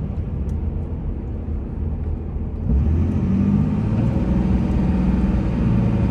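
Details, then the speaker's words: 2003 Dodge Ram 2500 4x4, 5.9 Cummins diesel, 85k miles, pulling uphill through all automatic gears: steady low diesel drone stepping smoothly between shifts under road noise, no issues; healthy engine and transmission under acceleration. "this truck runs and drives just like you would imagine a five nine third gen only 85 000 miles on it should not an issue at all with the automatic transmission it's just smooth and solid as it can be going from one gear to the next"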